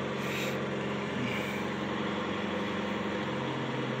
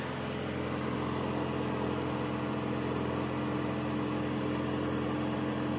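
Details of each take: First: 1985 Cadillac Cimarron started after a few months of sitting: a steady low idle whose even hum sags slightly as the alternator load comes on and drags the revs down. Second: 1985 Cadillac Cimarron, about 48,151 miles, idling just after a cold start following months of storage: steady, even idle with a smooth low hum, no knocks, misses or ticks; oil pressure perfect, battery charging, no exhaust smoke.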